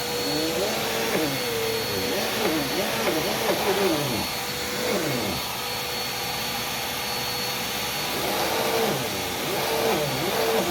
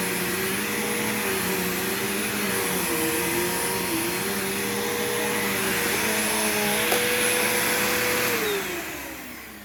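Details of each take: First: Brand-new, never-run Dirt Devil vacuum, handle replaced with an eBay part: steady loud motor roar with a wavering higher whir; the brush roll drive belt is badly stretched, one of several shot belts on new machines. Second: Bagged vacuum unused about a year, old smelly bag still inside, both belts changed long ago: smooth even motor whine with clean brush hum, no slapping or squealing, then spins down; belts aged well, normal.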